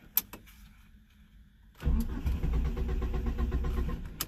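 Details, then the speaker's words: Small car that ran well last week: quiet clicks then rough chugging crank about two and a half beats a second, catching briefly and dying; owner suspects bad fuel pump, crank no start. "really disappointed this thing won't start it was running pretty well last week oh there we go took a while for the fuel pump I think it's got a bad fuel pump"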